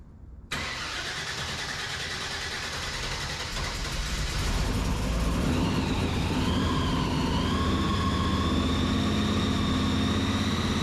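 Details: 1972 Opel GT with an EFI 540 big block and 8-71 blower (MS3 Pro, idle air control valve being sorted) on its first fire-up: catches at once and settles into a loud, steady idle with blower whine rising. Starts and idles normally.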